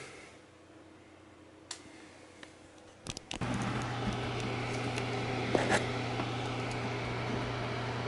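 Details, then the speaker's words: GPU whose stuck fans had let it reach 92°C, after prodding the fans with a pencil and setting MSI Afterburner to keep them running at a low percentage at no load: steady, even low hum. Normal fan running. "it to continuously use the fan at a lower percentage even when there's no load that's where you can still hear the fan"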